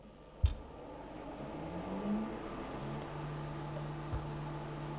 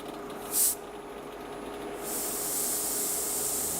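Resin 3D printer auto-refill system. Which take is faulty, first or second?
second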